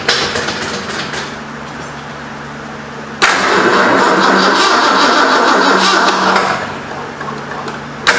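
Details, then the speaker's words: 1973 Ford Mustang Mach 1, 351 Cleveland, 4-speed, first start after engine reinstall and months sitting; steady cranking about three seconds, never catches, no fire. Owner suspects an unplaced coil hot wire; cause unconfirmed. "I think that is the hot wire for the coil. Seems like we would have pop or spit or something. Ain't got nothing."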